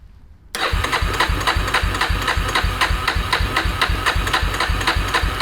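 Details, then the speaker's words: 2000 Yamaha Warrior 350 ATV with new ignition modules, choke on; even chugging about four beats a second that never catches, crank no start with no spark, traced to an unhooked kill/safety switch. "what is going on battery batteries sideways so it's only gonna touch one terminal i don't think we have spark anymore man"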